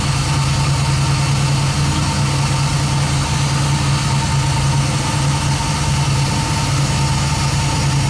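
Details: 1967 Nova with 2002 Camaro LS1, 2010 Camaro fuel pump in Retrofuel tank controlled by Fuel On Demand at 58 psi, about 50% duty and 4 A at idle; steady even low drone, no knocks, misses or pump whine; normal idle.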